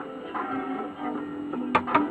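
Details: Retra 333 valve radio after replacing the faulty valve with an Eastern European one: plucked guitar comes through clean, with no crackle or spitting between notes; playing normally.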